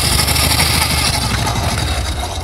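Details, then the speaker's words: Honda Supra X125 carbureted motorcycle at idle, mic near cylinder head; loud, busy metallic clatter present a long time, caused by a damaged, wrongly installed cam chain tensioner; cam chain rattle (loose timing chain). "Suaranya seperti itu teman-teman ya. Berisik sekali. Dan ini keluhan dari yang pemilik motornya, ini udah lama sekali suaranya seperti ini ya teman-teman."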